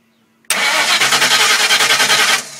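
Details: Cranks but no start on a 2000 Explorer motor with A9L computer and TFS stage 1 cam, starter bumped via jumper wire with remote TFI wired: the engine spins in an even beat of about six pulses a second for two seconds but never catches or fires.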